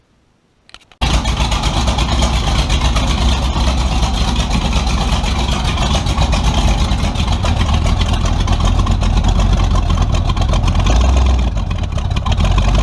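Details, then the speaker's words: Tunnel-ram 350 V8 with two Edelbrock 600 cfm carburetors (1405/1406): loud, rough, uneven note with a brief sag and stutter. Owner suspects a lean surge; a vacuum leak is found. "when i would load into the gas you know loaded against the brakes and then try to stomp on it it would just stutter and i think what i got going is a lean surge"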